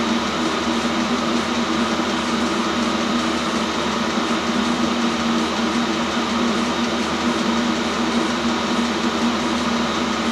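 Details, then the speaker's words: New self-contained Chinese diesel heater on first run, output air 70 °C; even combustion and fan roar with steady hum, no surging, popping or stutter; normal running at full heat. "Putting the air out there, it's up to 70 degrees C. Nice and warm, spot on."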